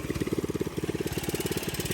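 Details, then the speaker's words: Mini bike with aftermarket exhaust, just started on choke: fast, even popping idle with a light metallic rattle that the owner attributes to a dry chain needing lube; source unconfirmed. "she got a little rattle you hear that little rattle don't worry about it it's just the Chain little WD40 chain lube it'll go away"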